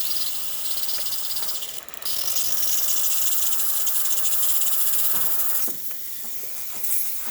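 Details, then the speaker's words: Breville Barista Express after a full service, steam function test: after heat-up the pump kicks on and spits a little water first, then a steady, even hiss of steam with a brief sputter near the end; normal steam wand operation. "We're going to test the steam function. It's going to take a little bit to heat up, but once it starts heating up, you'll hear the pump go off."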